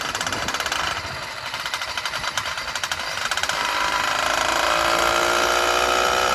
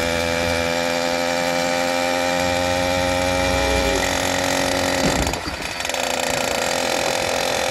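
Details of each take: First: Brand-new F-Zero A301 two-stroke motorized bicycle engine, first start: choppy, uneven popping that settles into a steadier buzz; owner thinks it is running rich and may need jet changes. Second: New F-Zero A301 motorized bicycle, brand-new two-stroke engine on its first start: even, buzzy drone at a steady pitch with one brief dip that recovers cleanly; runs pretty good so far; normal running.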